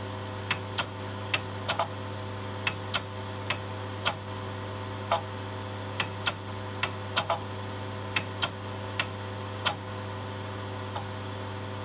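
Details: Megastor copying from C to drive B on two Shugart 8-inch floppy drives: sharp irregular clicks, about one or two a second, over a steady low motor hum; normal seek clicking while copying.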